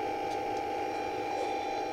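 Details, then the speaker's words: Local single-tower home theater amplifier: steady buzzing hum with hiss under it, growing as the wire is removed; caused by the supply earthing wire tied to the volume control, which should never be grounded there. Ground loop hum. "ये देखिए तार हटाऊ और नॉज बढ़ती चली जाएगी बढ़ गई बढ़ गई"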